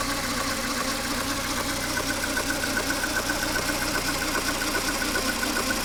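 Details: Mercedes A 140 W168, 2002, 133,000 km, noise started recently: light metallic ticking about two or three per second over an even idle; ticking rattle, mechanic suspects timing chain or chain tensioner, not confirmed.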